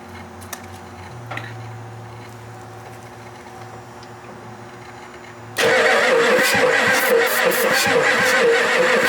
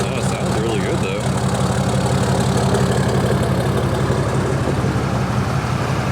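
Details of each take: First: Ford F-250 7.3 non-turbo diesel that sat 10+ years; fuel supply uncertain (gauge reads full, likely faulty). The starter cranks hard with an even churning beat, sounding better, but never fires. Afterwards a burning smell and a leaking, spraying injector were found. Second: Diesel truck with a deleted 6.7 and a Flo Pro muffler on a five-inch exhaust all the way back: steady deep idle with an even light clatter about three beats a second and a loud open exhaust drone; healthy.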